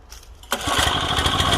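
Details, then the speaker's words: Used Japanese walk-behind greens mower, 24-inch blade, Mitsubishi 4 hp single-cylinder engine: after a short quiet lead-in, catches at once and settles into a steady even buzz; healthy easy start. "ติดง่ายนะครับติดง่าย"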